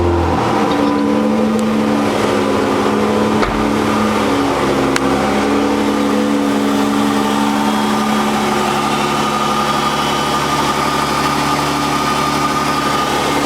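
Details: Dodge 3.5L V6 LX after rocker arm shaft replacement cured a loud ticking noise: steady, even idle with a smooth hum and no tapping or ticking from the top end; normal idle.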